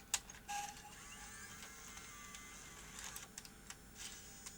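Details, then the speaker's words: JVC BR-HD50 HDV/DVCAM deck that had been tampered with, lacing a small-size tape after a previous tape threw slack. Soft clicks and motor whir, a momentary stop at the same point as before, then quick tape-shuffle whirs before it is ready; lacing completes normally. "it stops there momentarily then does a tape Shuffle then it's ready to go"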